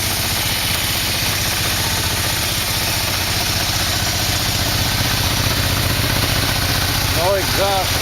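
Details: 1987 Yamaha V-Max V4 freshly installed, carbs and exhaust fitted, first start: steady, even idle at about three pulses a second, no knocks, ticks or rattles, oil burning off; engine runs clean and healthy.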